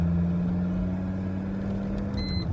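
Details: VW T4 2.4 AAB diesel van driving in third gear at about 30–45 mph: steady drone, then a short high warning beep as the oil light flashes. Oil pressure switches are being changed as the fix.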